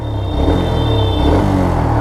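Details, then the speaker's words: Motorcycle after service, ridden until the engine was fully hot: smooth, even low thrum with no top-end chatter or ticking; the engine noise heard before the service is gone, and the bike now runs silent and healthy. "तो आवाज बिल्कुल नहीं है भाई। एकदम बढ़िया। पहले से ही साइलेंट हो चुकी है हमारी बाइक।"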